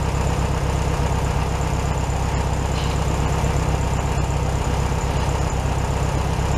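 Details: 1967 VW Beetle 1500cc, warm, carburetor reinstalled with a new base gasket: a steady, even low thrum with a regular beat around two per second, no misses or knocks, a touch fast. Normal idle.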